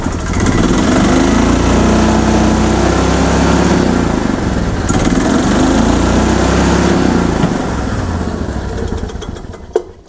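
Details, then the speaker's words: 2004 Club Car Precedent gas golf cart, crank no start case: small engine races high, pinned with choppy cutting note against rev limiter; governor suspected bad or out of adjustment. "because it's hitting the rev limiter I think our governor is either bad or way out of adjustment"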